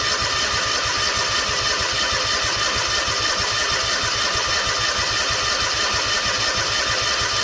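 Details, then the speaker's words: Freshly rebuilt Kawasaki FR730V in a Cub Cadet SX60; steady cranking with even compression pulses that never fire, as a second fuel shutoff at the tanks was closed. Cranks but no start, no fuel. "Oh, we're not going to have fuel, guys. There's a second fuel shut off up here."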